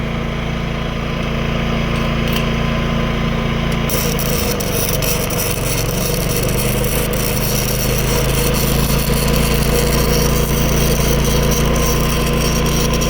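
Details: New Predator 11,500 W inverter generator powering a Chinese inverter welder: a steady drone dips briefly as the welding load comes on, then holds an even pitch under crackling arc. It runs normally under load.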